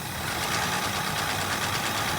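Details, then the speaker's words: 1965 Ford Mustang coupe V8 just after carburetor rebuild: quick, light, regular slapping ticks over a rough idle, keeping time with engine speed; cooling fan blades hitting the shroud, which still needs adjusting. "Let's let her idle. We still got to adjust that shroud a little more, Burnsy, but we'll get it."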